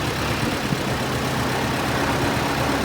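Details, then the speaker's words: First start in about 100 years of a 1913/1914 Detroit-made Princess car stored since the 1920s, clutch freed: a steady, even, low engine beat with no knocks or misses, running nice and smooth; normal running. "Oh yeah! How nice and smooth this engine is."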